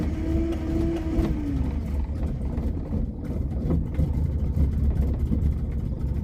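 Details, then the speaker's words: 1978 Honda Civic with full manual choke, not started for a while: the cold engine rumbles low and uneven, catching and faltering without settling. It stumbles until the choke is set properly, then starts and drives well. "Once I figured out the choke thing, you know, it's full manual choke. Once I figured that out, it was really good to drive, actually, and good to start. So you saw me kind of struggle a little bit in the beginning there of figuring that out."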